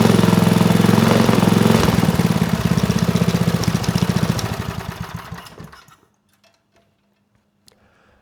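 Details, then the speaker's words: Manco Dingo go kart with a Briggs 5hp horizontal-shaft engine and Comet TC88 torque converter, revived after having no spark and no compression; even single-cylinder chugging at three or four beats a second, running cleanly; shut off because fuel leaked from a missing screw hole. "sounds good but I did shut it down because I noticed fuel coming out that hole right there"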